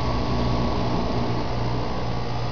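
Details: Heat pump outdoor unit after replacing failing fan motor (old one near lockup); compressor cycles on and off several times at start, capacitor suspected going bad: steady low hum, even airflow, no ticking or wobble; new fan motor runs smoothly.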